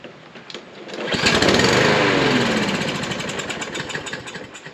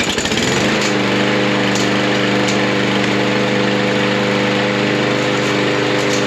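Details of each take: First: Troy-Bilt mower with Briggs & Stratton engine, stored 3–5 years, fresh gas added, carburetor float/needle suspected: engine catches briefly, then fades into uneven sputtering and won't keep running; fuel delivery suspect. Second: Troy-Bilt mower with a Briggs & Stratton engine that sat 3–5 years, running after the carburetor bowl and carburetor were removed: steady, even buzz for ten seconds, then a clean shutoff; normal running.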